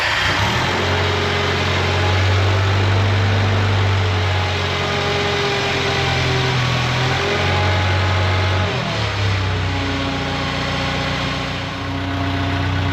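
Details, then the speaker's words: Bobcat skid loader just after an ignition tune-up and air filter change: steady even idle with a brief rev blip, no misses or knocks, smoother than ever; left-side drive whine still heard, linkage slop suspected. "Well, it sounds pretty smooth. I'd say maybe even smoother than ever."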